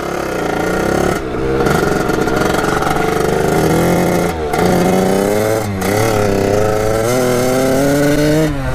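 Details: Kawasaki KX80 with 99 cc KX100 big-bore cylinder, after shaved head and new head gasket to fix coolant leak, first yard test ride: sharp two-stroke wail climbing cleanly through shifts, no bogging, misfire or rattle; running right.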